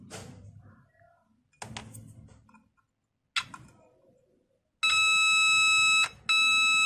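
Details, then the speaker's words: 9 V buzzer tester used as a simple LED tester on an LED of about 3 V: a steady high-pitched buzz sounds twice with a short gap, showing the circuit completes; LED good, normal tone. "ini 3 volt untuk menentukan berapa volt Ya hanya langsung pakai LED tester ya ini hanya untuk mengetahui ini nyala atau tidak"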